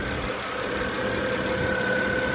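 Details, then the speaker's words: 2010 BMW 535i after starter motor replacement and intake manifold work: steady, even idle with a faint whistle and no knocks or rattles; engine sounds healthy, with boost and blow-off later audible. "now this doesn't sound bad it sounds okay maybe it was just like a pre-warm steak it should be good should be good"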